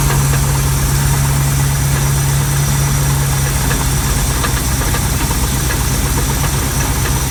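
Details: 340 V8 with FiTech installed, idling; steady low rumble with a repetitive dull knock keeping time with the engine; rod knock suspected, not confirmed, source needs tracing.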